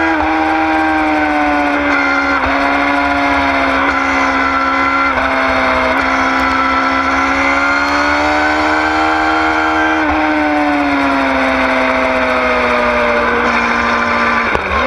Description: High pitch noise, normal?? 09 yamaha R6